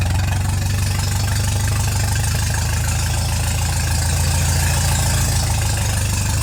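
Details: MGA 1600 roadster four-cylinder during restoration, run on choke with little fuel while testing the cooling system with new 4 PSI cap: steady, even low idle with no knocks or ticks; system holds pressure, not charging, normal idle.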